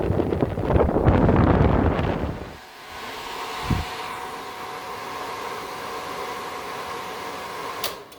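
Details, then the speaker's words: 1979 Lotus Esprit, testing new custom wiring, relay panels and fuse box: relay click, loud rushing air dropping away, then steady even blower motor whir with no scraping or rattle; fan running properly through its relay. "All right, it's running through a relay. I heard the relay click. Fan's cranking."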